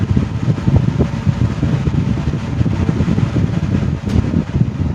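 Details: 1970s 16-inch Toastmaster box fan with replacement 1940s desk-fan blade set, freshly oiled, on high speed: steady low whooshing air rush, no ticking or scraping, smooth and healthy; normal fan running on high.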